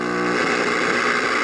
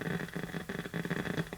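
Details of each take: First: 1951 Northern Electric Baby Champ tube radio, ultra probe held near the oscillator coil: steady even rushing hiss with faint low hum, indicator lit, showing the oscillator section is running normally though no audio reaches the speaker at full volume. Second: 1951 Northern Electric Baby Champ tube radio, tubes lit on a current-limited isolation transformer variac supply: constant hiss with irregular sharp crackles and pops, no station even at full volume, from a leaky capacitor on the output tube's grid.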